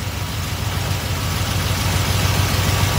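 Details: Small-block Chevy V8 with Edelbrock carburetor, after idle mixture screw adjustment, before timing set: deep, even burble holding a steady idle without stumbles or misses; mixture properly set, normal idle.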